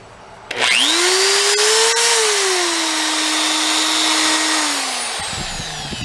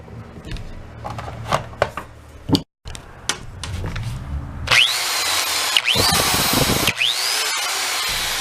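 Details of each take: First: DeWalt drill bought on eBay, sounding like something coming apart inside: motor winds up to a wavering high whine over a rough, gritty rasp, then sags; burnt armature, replaced from a donor drill. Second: DeWalt drill after replacing a burnt armature with one from a donor drill: spins up to a steady high whine rising and falling with the trigger, no grinding or stutter; running normally after repair.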